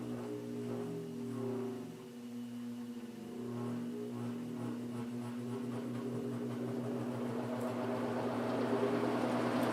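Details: 1950s General Electric automatic reversible box fan, before cleaning, reversed and run up to high. Quiet even whir, steady motor hum growing as it reaches high speed; running healthy.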